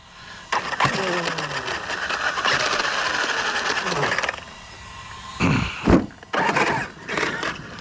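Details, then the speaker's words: Redcat Vigilante RC truck fitted with an 800 KV motor, punch level 4: short bursts of motor whine with rough grinding and rattling under throttle, then spinning without drive; a diff sounds blown, owner thinks the center diff, spur and pinion okay. "something sounds like it's hitting in there yeah something's broke already of course or is it just this flapping around"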